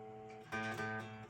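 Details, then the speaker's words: Fender Strat-style guitar, A string strummed before lowering its bridge saddle, the previous string already adjusted: single strum rings clean and even with sustained tone, no rattle or buzz; string action fine. "So now we're just going to do it again, because repetition is how you learn stuff. So we'll do it one more time. So we're going to do the A string now. No buzzing, right?"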